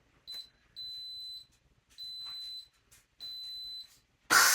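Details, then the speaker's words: Instant Pot Pro Plus 6qt on initial water test, quick release selected and started; three high beeps, then a sudden loud rushing hiss of steam venting. Normal quick pressure release. "All right, the pressure is all released and it gives you that nice little beep when the pin falls. That's cool."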